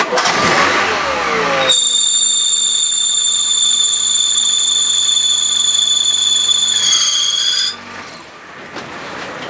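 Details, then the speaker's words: Engine start with alternator pulley groove worn deep, belt tensioned normally but still squeals; loud, steady high-pitched squeal for about six seconds then cuts off; fix is replacing alternator pulley. "наш шкиф который стоит на генераторе Он уже просаженный вылся вылась конус который под ремешок ремень просел глубоко вниз и он у нас начал пищать"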